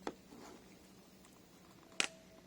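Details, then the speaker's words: Porsche Cayenne S 957 vacuum solenoid bench test, pumped up and holding vacuum, then powered: a single sharp click as the gauge needle drops; solenoid switches, though the click is softer than a normal one. "now i'm going to put power to it and it should drop straight away"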